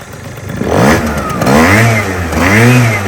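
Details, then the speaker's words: Suzuki Choinori swapped to a two-stroke Adly engine blips up and settles back to a steady crackly idle twice. Revs climb and fall cleanly and the exhaust is fairly quiet; it idles well and starts fine, running healthy. "Idles well. Starts fine."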